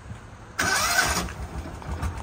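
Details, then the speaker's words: 2007 Kawasaki Mule, two-wheel drive, with a slight smoking issue: short crank catches right away, then settles into a steady, even idle with no misses or knocks; runs well. "see how nice it runs Idol's good that's not too bad"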